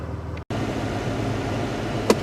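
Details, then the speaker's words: 1998 Buick Park Avenue after long sit, battery flat and jump-charged, winter: steady, even low rumble with no knocks, misses or squeals; idles smoothly. "so but yeah she runs smooth kind of a kind of a maaz got old"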